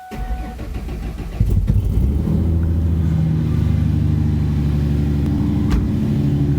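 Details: Budget-built V6 Mustang with aftermarket exhaust, 146,402 miles, not run for months, started inside a building: cranks, catches and settles to a steady, moderately deep exhaust note with smooth revs, neither loud nor quiet; healthy, normal exhaust tone.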